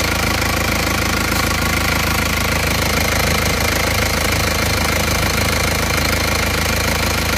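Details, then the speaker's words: Isuzu Panther 2.3 diesel after rebuild for blow-by (pistons, rings, liner, seals, hoses, mounts, valve seals); steady diesel idle about three knocks a second, even, no blow-by chuffing; blow-by cured. "Untuk suara mesinnya seperti ini. Ini sudah sembuh juga dari ngobosnya."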